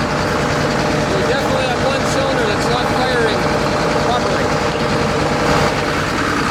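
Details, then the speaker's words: John Deere 9600 combine diesel, cold start with 37E fuel temperature sensor code and blue smoke: loud idle with uneven, lumpy beat under the clatter; one cylinder missing, traced to a completely worn injector confirmed on test stand. "Is the engine running bad? Are we missing? I'm suspecting at this point we're probably missing on one cylinder, but we'll find out."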